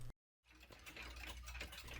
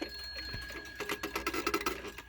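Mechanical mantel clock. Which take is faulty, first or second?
second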